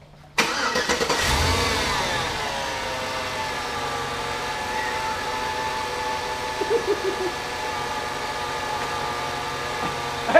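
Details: Donor V8 for a Jeep Comanche swap after new plugs, wires and O2 sensor, misfire traced to a spark plug wire pulled off by the steering shaft and refitted: the V8 cranks, catches quickly and settles into a steady, even idle.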